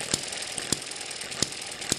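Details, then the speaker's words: Eachine ET7 hit-and-miss model engine after governor springs were stretched, now below 1200 rpm: sharp firing pops spaced irregularly about every half second over light mechanical clatter; normal hit-and-miss running. "i think you can see the weights are going out further and they're staying out longer than they were before you can hear that the engine's running slower we're below 1200 rpm"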